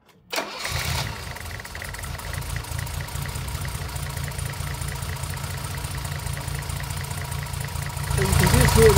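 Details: 1975 Mercedes 280SL with M110 engine, not run for over 10 years before restoration, injectors serviced and new spark plugs: starts and settles into a lumpy, uneven idle with a recurring dip from a cylinder misfire, before plug leads are pulled to isolate it.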